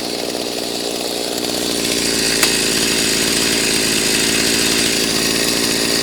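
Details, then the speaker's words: Freshly rebuilt Stihl MS390 two-stroke chainsaw, very hot, smoking: holds a fast, steady buzzy idle that never drops; high idle, owner suspects idle screw turned in or air leak, not confirmed. "now it was idling really high from the get-go and what that tells me is either the idle was turned in sometime in the past or it could be sucking air"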